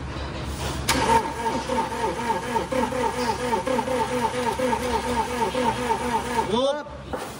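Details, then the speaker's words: Toyota Fortuner that suddenly wouldn't start, pushed into shop: starter cranks steadily about two beats a second for several seconds, engine never catches. "nag-try nga tayong paandarin pero ayaw na talaga umandar."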